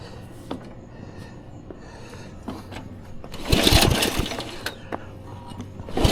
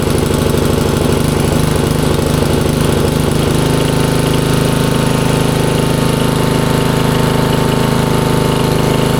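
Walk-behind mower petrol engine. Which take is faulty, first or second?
first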